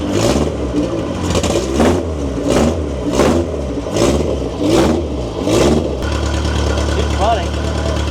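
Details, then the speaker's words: 1992 Honda Civic VX with a rebuilt Jackson Racing supercharged B18C VTEC engine, on a base map at first start. The engine is blipped roughly every 0.7 seconds, then settles to a steady idle. Running smoothly on the base map. "All right. So, it's running pretty good."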